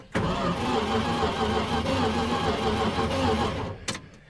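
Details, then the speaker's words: 1979 Dodge W300 Club Cab, sitting for 13 years, after the starter was struck with pliers: starter whines and turns the V8 over steadily for several seconds but it never catches; spark check next. "took the old chantey locks and whooped on the starter guess what we now have a starter that's turning over listen to that starter wine"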